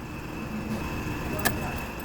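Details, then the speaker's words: Fiat Mobi three-cylinder with engine light on idling almost without oil, dipstick dry: light metallic chatter over the engine beat; cam phaser rattle from lack of oil, silent after oil was added. "uma chacoalheira nesse motor tá uma zoada acho que vocês escutaram aí"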